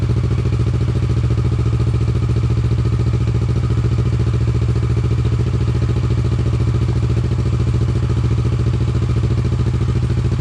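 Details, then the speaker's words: Motorcycle after the exhaust was refitted with its original lambda sensor, recorded from a distance in an echoey garage: steady, even low idle thump, about 3.5 beats a second, with no ticks or misses. Normal idle. "Just in case what people are wondering what it sounds like, it's a bit echoey in here, so but I'll start it up anyway and put it nicely distance away."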